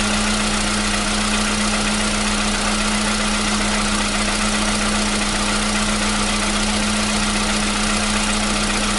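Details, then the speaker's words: 2015 VW Polo Sedan at 76,000 km, new battery, cold start. For years it knocked only when cold, and worse on Rosneft oil. Steady, even cold idle with a smooth hum and no ticking or knocking as it warms; the knock has suddenly disappeared. Normal cold idle. "Вот так, проехав 76 тысяч, двигатель внезапно перестал стучать."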